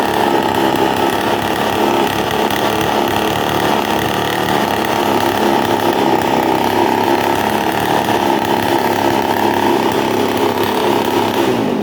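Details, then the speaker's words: Two-stroke brush cutter at steady high revs: harsh open buzzy exhaust note, abnormal noise because the muffler came loose, exhaust escaping at the joint. "tá vendo que é um barulho Fora do Normal né E que é um barulho que o escapamento tá solto então o barulho ele não vai pro escapamento aqui e acaba soltando na junção"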